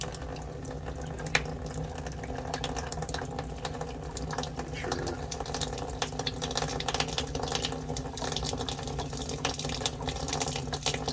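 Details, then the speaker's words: Hot-water faucet after a water heater's temperature and pressure relief valve was replaced and the system refilled: running water breaks into irregular spits and sputters as trapped air and some sediment purge from the line. Normal until it clears. "what's going to happen is when i start putting water back into the system you're going to hear a bunch of air coming out of here so just bear with me"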